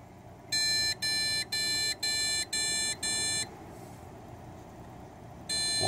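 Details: ASUS Sabertooth Z77 PC with 2x8GB Corsair Vengeance RAM and a graphics card installed: six even high-pitched beeps at power-on, then a pause; this six-beep POST error turned out to be a motherboard failure.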